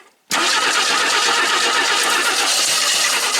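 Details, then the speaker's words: 1977 AMC AMX Hornet junker being revived, DieHard battery: steady, dragging crank with no catch lasting seconds, sluggish pace; weak battery causing slow cranking. "That battery's getting a little weak. It's a die hard, it shouldn't be."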